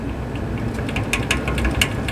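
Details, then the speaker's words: Eskimo 121050B metal box fan running: light irregular ticking and clattering over a soft low hum, lots of rattle but no fore-aft play; owner suspects worn bearings, not confirmed. "there's really not any play forwards and back there's a lot of rattle though"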